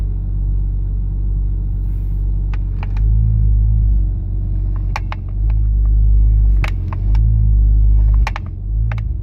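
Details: Nissan Skyline R33 GTS-T with HKB boss and OMP steering wheel: sharp, irregular clicks in little bursts over low engine rumble as the wheel moves; steering wheel clicking.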